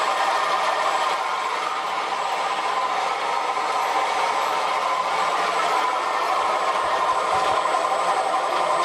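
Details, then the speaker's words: Short-stroke water pump after cleaning and regreasing hand-assembled ball bearings, running a sprinkler, motor drawing 5 amps, not getting hot: loud steady rattling drone; noise suspected from pulley not running straight, unconfirmed. "Still loud, but it's not going to get you worse now. It's had a good service."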